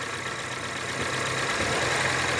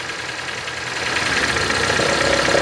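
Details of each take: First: Honda Civic/HR-V automatic shifted between neutral, drive and reverse with brake held, checking for a recurring engagement noise (tensioner play suspected); smooth even idle, no clunk or knock; normal gear engagement. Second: Honda Civic/HR-V idling while shifting between neutral, drive and reverse: loose irregular knocking about three to four beats a second when drive engages; worn belt tensioner with play, needs new part.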